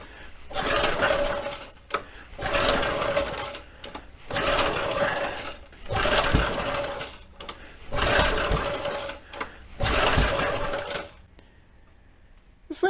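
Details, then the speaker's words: Early-1970s flathead Briggs engine on a vintage gas SCUBA compressor, fuel poured into the plug hole, good spark on tester: repeated pull-start cranking with only an odd weak pop and no sustained firing; won't run. "thing's kind of acting almost like it's hit and miss on the spark you know anytime I pull the lead off it looks like it's working okay but when you actually uh try and run it work tester shows up good this thing's popping off but it's not not consistently firing"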